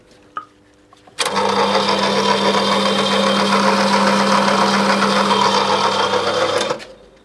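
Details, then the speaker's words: 1980s Opel Monza coupe barn find, 3.0-litre injected straight six: starter cranks evenly for about five seconds without firing; no fuel arriving and fuel pump can't be heard, suspected not working. "no I don't think there is any no yeah for one more no and I can't hear the pump I don't think the pump's working"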